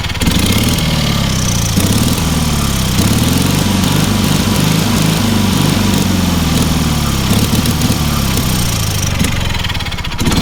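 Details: Engine on a free, long-neglected trailer-mounted man lift (cherry picker), water found in the oil and corroded intake, throttle half open; low, even drone holding constant speed, no misses or knocks; healthy steady running, amazingly well for what it is.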